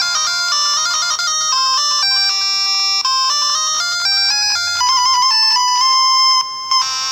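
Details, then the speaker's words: Nintendo Game Boy Color playing Gargoyle's Quest: bright start music breaks up with clicking, one channel not right and some instrument parts cutting out, leaving the tune thin; a second fault besides the repaired speaker. "Stop there for a sec, it's like the one channel's not right, and if I just start this, it's more evident actually on the start music, I think. It's like some of the instruments are stopping."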